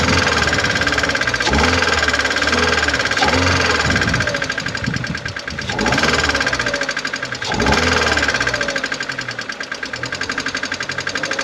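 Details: 2011 Mercedes-Benz A160 W169, 1.5 L M266E15 petrol, 70 kW, 97,955 km. Light, quick ticking of about three per second over a steady idle, from a defective hydraulic lifter.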